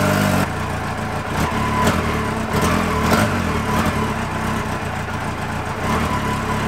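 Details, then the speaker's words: Yamaha XJR motorcycle after oil-leak repairs, carburettor synchronisation redone and idle adjusted: steady, even four-cylinder idle, no puffing or ticking from the exhaust; the earlier noise is gone. "normalement démarre au quart de tour nickel il y a plus ce bruit"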